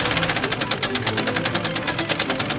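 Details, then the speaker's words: Engine running after its timing belt snapped on first test drive: fast even sharp metallic clatter about ten beats a second with little low rumble; damaged engine. "In September 2022, after a long time working on the engine bay, the timing belt snapped on his first test drive, and that engine sounded like..."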